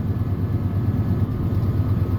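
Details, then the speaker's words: 1996 Ford F250 light duty, about 326,000 miles, before repair: cranks right up, but the idle is uneven and stumbling with dropped pulses. Misfire worsens when driven; P1351 code traced to an incorrect ignition control module. "so it'll crank right up like so but did you hear that it's misfiring at idle"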